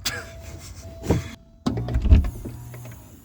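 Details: 1989 Porsche 944 2.7, newly fitted window motors. A steady low motor hum for about a second, a stop, then smooth running again with no grinding or binding: normal power window operation.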